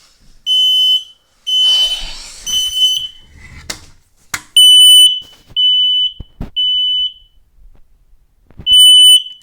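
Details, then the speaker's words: Kidde smoke alarm going off at night: loud shrill beeps in roughly half-second bursts with handling noise between; push-to-hush button fails to silence it, keeps sounding continuously. "okay i will that's right this fire alarm is going off i was in the shower having a nice quiet time until this alarm went off"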